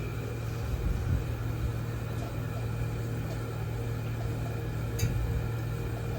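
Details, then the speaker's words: Walk-in freezer evaporator fans after coil ice buildup, fan cycle delay and defrost termination switch installed, starting after defrost: steady low hum and even airflow, no rubbing or rattle, still at low speed; normal operation. "Now it should kick to high speed. Huh, because they're definitely still running low speed and we're cooling, but yeah, they'll ramp up."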